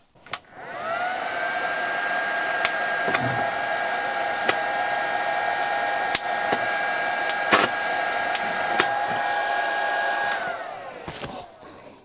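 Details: Cheap Chinese handheld arc (stick) welder running again after its thermal trip reset. Steady fan-like hum with even high tones and a few sharp crackles, then winding down. It is operating normally.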